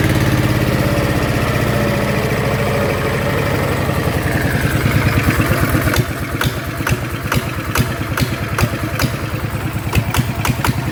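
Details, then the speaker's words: Yanmar single-cylinder diesel on a duck-type loader, rebuilt with 100 mm piston and No.2 cam (about one tooth off), hard first start then easy; revs drop from fast clatter to steady even idle thumps, no knock or miss, running properly. "อ่ะโอเคนะครับก็เสียงก็ประมาณนี้เนาะก็จะติดยากทีแรกครั้งนึงนะครับที่2ก็จะติดง่ายแล้วนะครับ"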